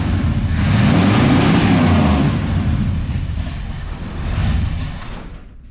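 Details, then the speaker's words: 1986 Ford F250, 351 Windsor V8, just revived after the pickup coil gap was closed to restore spark: engine revs unevenly, surges and sags, then fades out, sounding loaded up. Owner suspects fuel-diluted oil and serious vacuum leaks. "I think the way it's running right now is, one, she is loaded up with fuel. That oil smells like it came straight out of a gas pump. Two, I'm pretty sure that I could hear some serious vacuum leaks"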